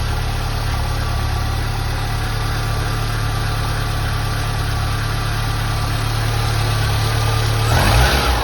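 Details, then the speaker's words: Porsche 924 after a major service (new oil, timing belt and water pump, coolant bled; plugs, air filter, cap and rotor fine; new leads ordered): smooth, even idle with a steady low drone and a brief rev blip at the end; idles like a top. "So in essence, this is a really nice little engine. It runs well. I'll start it up for you guys and you can see she idles like a top."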